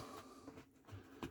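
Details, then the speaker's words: KitchenAid KDTM354DSS4 dishwasher not cleaning (spinners not turning, error codes 6-1 and 8-2): lifting the float gives two short light clicks from the contact switch; float switch works normally. "but I read where if you just lift it a little bit you can hear it clicking that's the contact switch on my model"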